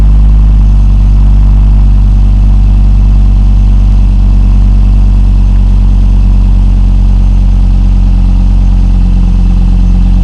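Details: 2002 Volvo V70 2.4 after replacing the exhaust centre box, rear box and pipe: deep, steady idle with an even low burble, no blowing, ticking or rattling; the exhaust is sealed and it passed its MOT.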